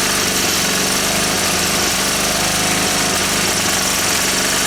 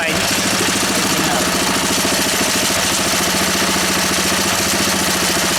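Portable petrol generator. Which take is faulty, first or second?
first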